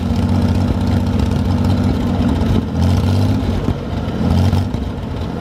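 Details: 1973 GMC 432ci V6 engine, out of a parted-out truck and sitting unstarted almost five years, run after light prep: deep, steady low idle with light blips rising and settling cleanly, no knocks; normal idle with light revving, sound engine.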